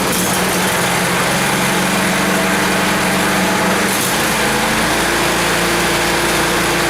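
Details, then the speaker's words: 10 HP Tecumseh Yard Machines snowblower, choke off, crud apparently cleared without teardown, started on key: high steady buzz settling slightly, no sputter or surging; runs pretty good. "see if this key works now so i guess that's good so it seems to run pretty good um just you know a bit of crud in it and just get cleaned out"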